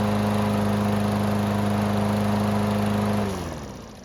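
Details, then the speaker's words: Toro mower, hot restart: starts on one pull instead of three, then a steady even single-cylinder drone with no misses or knocks before shutting off; normal running. "Well, this time, it only needed the 1 pull to get it to start back up, which is a huge improvement."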